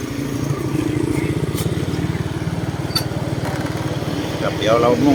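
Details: Suzuki Smash FI fuel-injected motorcycle after replacing worn three-shoe clutch (worn lining caused jerky pull-away and shaking); smooth steady single-cylinder putter pulling away and riding in traffic, no jerking or judder: clutch fix worked, runs without shaking.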